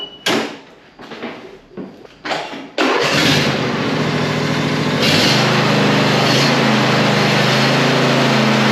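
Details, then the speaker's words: John Deere E140 mower that quit from fuel starvation, after removing a leaf blocking fuel: several short cranking bursts, then fires and settles into a steady, smooth drone; starts normally. "So all I can do now is make sure it cranks and tell him to mow."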